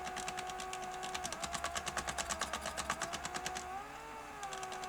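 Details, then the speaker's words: Sony SL-HF950 SuperBeta Betamax VCR laced with no tape, reverse picture search: fast, uneven clatter of about three ticks a second over thin motor hum; gear drive chattering, probably a broken tooth on the supply reel table. "Then it was clattering really badly."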